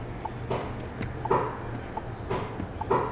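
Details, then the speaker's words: 2019 Kia Optima with P0456 small EVAP leak code, EVAP valve active test via scan tool: soft, uneven thumps about once a second from the rear; valve cycling as commanded and working. "Okay, so we can hear it back there thumping away. So, that's good. I don't hear it kicking back off."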